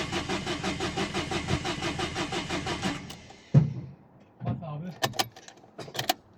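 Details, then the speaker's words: 2011 Dacia Sandero Stepway, 1.5 dCi diesel, with a rail pressure sensor fault code. The starter churns with an even rhythm for about three seconds, never catches, then stops: cranks, no start. The cause was still unknown and the car was towed. "Evet arkadaşlar çalıştıramadık. E ne olduğunu bilmiyoruz. Şimdi arabaya müşürden arıza kodu veriyor."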